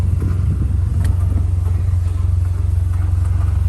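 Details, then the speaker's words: Vanderhall idling with a low, lumpy throb of about three pulses a second that won't settle, misfiring only once overheated; gauges dead and not rising when revved, and a clicking heard from underneath toward the top right. "so something's not firing correctly and this only happens when it overheats"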